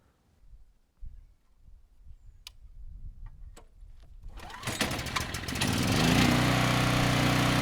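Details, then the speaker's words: 5000 W Husky generator with a 9 hp Briggs & Stratton engine, revived after seizing, new fuel valve and filter: catches quickly with the choke off right away, then runs steadily and evenly; no load about 61.5 Hz, 122–123 V. "no issues getting the machine started it sounds good was able to turn the choke off right away and the no load speeds pretty good at around 61 1/2 Hertz"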